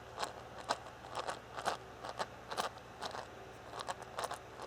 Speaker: I put this spare piece of mine in there to hold the differential straight and then I was twisting this. And you can hear a definite gear noise in there.